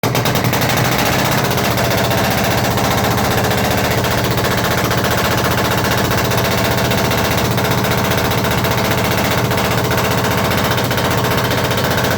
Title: perkins engine 1103 GT intek manifold misfire problem #shots